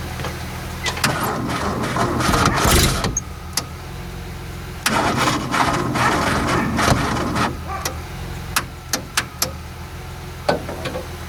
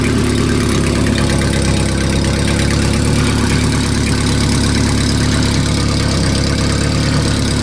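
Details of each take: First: Renault R10 sitting over 20 years under a pine tree, day three of start attempts, jumper leads added: fast starter cranking bursts with uneven catches that never run up; owner suspects poor battery terminals. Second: Renault R10 that sat under a pine tree 20+ years, first start after new points, repaired broken points wire and cleaned carburetor, cool engine with no coolant: smooth even idle; owner suspects an exhaust gasket leak.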